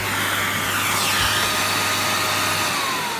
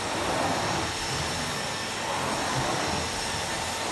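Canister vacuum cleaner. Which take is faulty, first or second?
first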